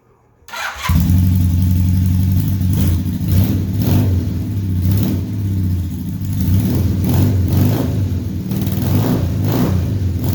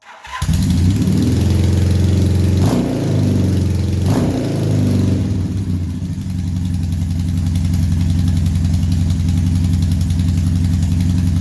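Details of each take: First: 1978 Honda Hawk cafe-racer project with automatic transmission, running after refitting an off-centre header that sat on its shoulder with loose nuts and an uncompressed copper ring; steady low exhaust note, no popping, hissing or spitting; leak fixed. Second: 1978 Honda Hawk cafe-racer build with automatic transmission, new exhaust: engine idles with a faint puffing tick at the header joint, a small exhaust leak; header was off-centre when slid into the head.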